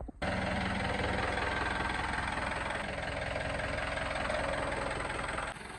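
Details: Mahindra Bolero diesel idling with a heavy, uneven clatter pulsing about three times a second, louder than normal; abnormal engine noise, cause not evident.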